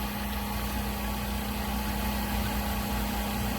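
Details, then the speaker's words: Vacuum Atmospheres HE-43 glovebox with its vacuum pump pulling the box pressure down: a steady, even hum and low drone, no knocks or surging, with the valve clicking on and off to hold range. Normal vacuum pump running. "using the vacuum pump once it hits the uh is inside the two red arrows there it'll go ahead and cut off and it tries to maintain his range so you can hear the valve clicking on and off"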